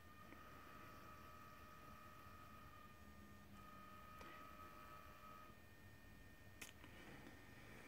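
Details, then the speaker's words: DIY follow focus for DJI Ronin MX gimbal, standard digital RC servo on 2S 7.4V LiPo via 5V regulator, driving a Trex 450 tail gear: thin high whine in two-second bursts as it turns; noisy servo gear whine that spoils camera audio. "this one's pretty noisy as you can hear kind of makes your camera's audio useless"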